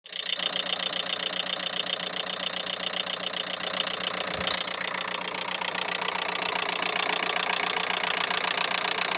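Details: 2011 Renault Megane 3 K9K 834 1.5 dCi diesel at idle; sharp, even knock about four beats a second; timing belt jumped one tooth, fixed by timing belt replacement.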